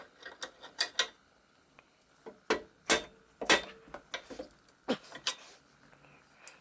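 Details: Keys Fitness Discovery 6.0 exercise bike, pedal removed, crank turned by hand: irregular dry clicks and crunchy ticks from a worn, rough crank bearing, before replacement.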